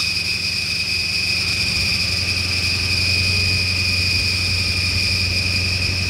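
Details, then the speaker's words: 1996 Ford Mustang GT just started after long storage, running on gasoline with smoke out the back: steady high-pitched accessory belt squeal over the idle, which later quiets as the engine starts to smooth out. "I see the the belt noise let me get off this the belt noise is quieted down now it's starting to smooth out a little bit"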